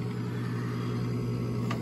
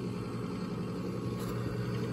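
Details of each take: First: Coleman Presidential DG807BDTA mobile home furnace: inducer motor runs with steady low hum but no pressure switch click; three flashes, combustion air switch failed to close, so pressure switch suspected bad (another tech had blamed the motor). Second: Coleman Presidential DG807BDTA mobile home furnace after pressure switch replacement: inducer motor gives a steady, smooth low hum with no wobble, rattle or surging, and the new pressure switch is heard closing; normal operation, igniter follows.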